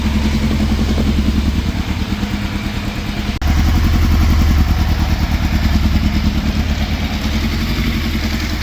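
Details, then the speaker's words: 1980s fire-damaged Yamaha FZ750 four-cylinder with sticky choke on, carburetors still suspect; rough, lumpy idle hunting up to about 2000 rpm and back down, running on only some cylinders and cutting out as the choke comes off: hunting idle, misfire. "okay so it is still not running right whatsoever because you can well you can hear it it's like it's hunting it's reving you know it's going up to like 2000 r pm. then it's going back down to 1"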